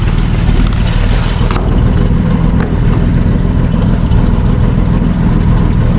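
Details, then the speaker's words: 1955 Plymouth two-door wagon parked since 1980, muffler cut off so no exhaust, strong oil pressure: loud, steady low rumble with no misses or knocks; normal idle. "Sitting there idling. Beautiful. Listen to that, no exhaust. The muffler's just cut right here."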